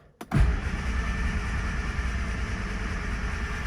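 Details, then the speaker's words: 1970 Morris 1300 (ADO16) barn find, sat for many years; starter churns and engine turns over but never fires; no start. "there we go okay we're getting nothing"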